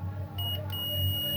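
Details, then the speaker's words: HP 830 G6 laptop with no power, multimeter in continuity mode on a motherboard capacitor: steady high beep holds, about 0.004 resistance, capacitor or its line shorted. "Yes guys, I believe the that's a short. You can you can hear the peping. When the capacitor pips that way, it means that capacitor is shorted or whatever along that line where capacitor is is shorted."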